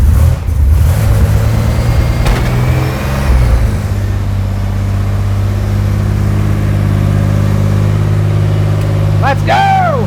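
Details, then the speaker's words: Junkyard 4.3 V6 (turbo, AWD S10 build) freshly rebuilt after cylinder damage, first firing after timing corrections, timing at 10°: settles into a steady, even run and picks up cleanly on throttle, no misfire or knock. "okay hell yeah oh that sounds good I love it"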